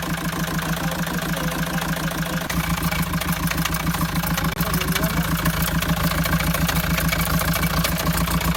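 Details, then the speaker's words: Mahindra XUV500 diesel before full engine overhaul; idling with rough, even clatter about three and a half beats a second; noisy engine before rebuild of pistons, rings, bearings, head and valves, cause not pinned down. "बनाने से पहले हमारे engine की कुछ noise ऐसी थी।"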